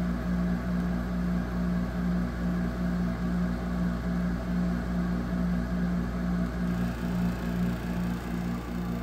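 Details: 2008 Frigidaire 6500 BTU window air conditioner FAA074S7A running: loud steady hum with strong low drone and constant fan rush, no change over time; unit runs noisily, cause not clear.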